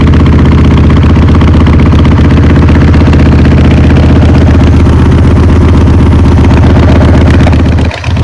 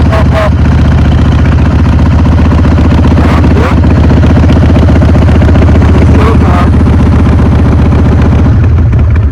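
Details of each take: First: Motorcycle that had not run for a few years, just started cold on choke with the accelerator pump working: steady, slightly rough V-twin idle with no knocks or misses. Normal running; the roughness should clear with fresh fuel. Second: Motorcycle that had not run for a few years, cold and on choke, with the accelerator pump squirting fuel: a deep, loping idle that stumbles now and then. The owner expects it to clear with fresh fuel and a few rides.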